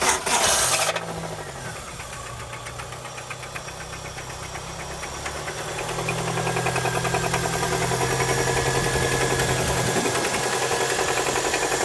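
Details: Toyota 2ZZ-GE engine starts, then a regular knock of about three or four beats a second persists through idle and light revving; owner suspects rod knock but is unsure.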